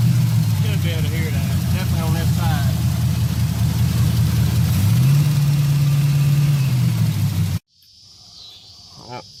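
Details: Worn-out Chevy 305 V8 in an S10 truck, started after sitting six weeks: low loping idle with a regular stumble and light tick, a dead cylinder and rocker tapping; owner reports low compression, about 3 psi warm idle oil pressure, suspects worn cam lobes.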